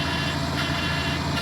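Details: 1997 Toyota Camry with swapped-in Avalon engine, first start after the swap: rough, slightly lumpy idle with a low burbling underneath and no clear knock; an odd engine noise, possibly from the oil pump or power steering, unconfirmed.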